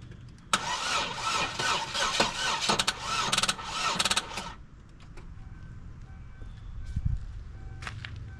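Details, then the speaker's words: Dodge Caravan engine filled with water instead of oil, ether sprayed into the smashed airbox, jumper cables possibly not supplying enough: starter churns slowly and unevenly for about four seconds before barely catching; owner suspects the engine is tight and the ether adds resistance; slow cranking. "I think the engine's definitely a little bit tight it's turning over a lot slower and then The Ether on top of that is making it difficult for it to turn over"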